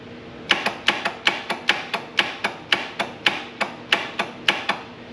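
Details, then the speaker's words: Air-cooled Lister diesel, cranking attempt. Sharp metallic clicks about three times a second and no cranking: the starter solenoid plunger moves but its copper contact plate never bridges the terminals, so the starter needs fixing. "the starter is not connecting so the solenoid is kicking but it's not actually making the copper plate hit the two poles to make the motor go"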